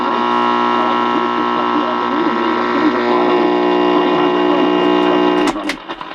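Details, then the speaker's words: 1947 Delco R1410 AC/battery portable tube radio receiving a station in the shop: loud constant mains-frequency buzz with harsh edge over station audio; interference from fluorescent light. "and that's pretty impressive that i can still hear the station over the fluorescent light noise"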